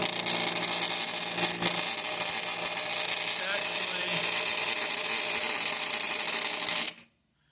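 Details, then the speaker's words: Thermal Dynamics Cutmaster 52 plasma cutter, bought used, making a harsh, buzzy rattle over a loud hiss when switched on; the noise comes from a failing contactor at the back, and it still cuts; contactor to be replaced. "actually, it is the contact. So this thing is making quite the rattle. So this is where the noise is coming from."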